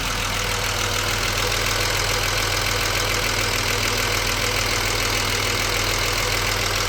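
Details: BMW 635CSi E24, warm at about 80% operating temperature after refitting the air hose to the throttle body and restarting: steady, even idle with no hunting or stumble; it earlier shuddered and stalled on throttle.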